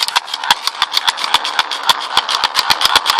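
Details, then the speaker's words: Old hand-crank charger, unused for months: sharp clicks about four a second over whirring gear buzz as flywheel spins; sounds a bit rough from slight rust, but the crank dynamo still turns and works. "it still works it sounds a bit rough there you can hear a little rust build up where it's been sitting for a few months or something but still works"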